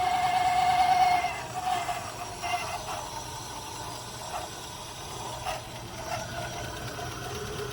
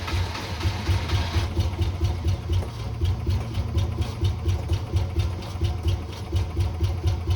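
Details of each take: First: 1980 Rover SD1 V8 with old fuel injection, running after about 18 years: a slow, fairly even idle at about 600 rpm with no knocking, plus a loud alternator whine. Coolant flow uncertain, not very hot. Normal idle. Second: 1980 Rover SD1 V8, first run after about 18 years off the road: a lumpy, uneven low beat of about two pulses a second. Rough running because the mass air intake pipe had come off.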